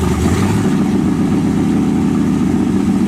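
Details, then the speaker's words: 1923 T-Bucket kit car, carbureted V8, just started cold: lumpy, uneven low rumble with the beat wandering and dipping as it tries to die; owner says it needs choke. "No. Come on, man. She needs a choke. She needs a choke."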